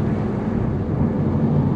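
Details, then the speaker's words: Audi TT Mk1 turbo, BAM 225 engine, after replacing the N75 boost valve; hard throttle in fourth at about 11 PSI; firm steady rumble with no breakup or misfire, confirming the N75 was the cause. "Let's go into fifth. About 10 PSI. So it's no longer breaking up. It must have been the N75."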